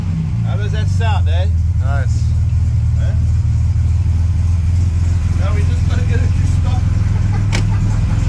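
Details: Restored 1938 SS Jaguar 3½ Drophead six, running on its first drive. Deep, steady exhaust rumble with no knocks or misses. Runs smoothly and healthy.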